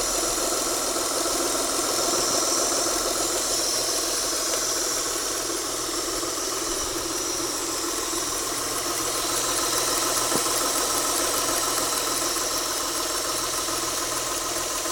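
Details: Mitsubishi Galant at idle: steady idle with a soft, constant airy hiss or flow noise over the engine near the intake manifold; suggests an air leak, source not pinned down.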